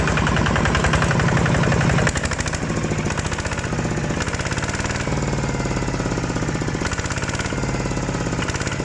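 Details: Kubota ZT155 Plus single-cylinder diesel: deep, even thumping at roughly three firing beats a second, firm and steady; a healthy engine running normally.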